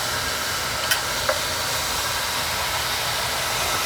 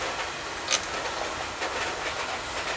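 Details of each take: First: Oil boiler burner after service for blowing black soot: steady, even roar and hiss with no pulsing, puffing or rumble; fires cleanly, while the second boiler still has an air problem. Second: Oil-fired boiler full of black soot: rough, hissing burner roar with sharp spits and small surges. An oil flow problem, with air getting into the pump; a leak in the overhead copper line or its fittings is suspected.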